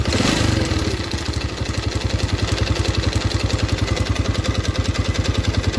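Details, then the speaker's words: Yamaha Vega R new four-stroke with a ticking, rough engine and thick exhaust smoke, idling before any throttle: uneven, lumpy idle with a loud tick on every beat, about three a second. Worn internals suspected; piston is to be replaced. "oke teman-teman suaranya seperti ini ya keras sekali dan kita lihat di bagian knalpot"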